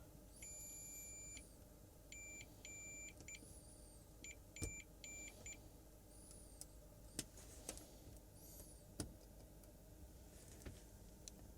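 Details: Samsung 55-inch TV backlight strip connections: string of clean steady high continuity beeps as each contact is touched, every connection now good.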